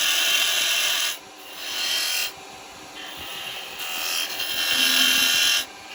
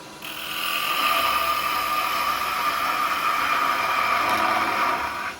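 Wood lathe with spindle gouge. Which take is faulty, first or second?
second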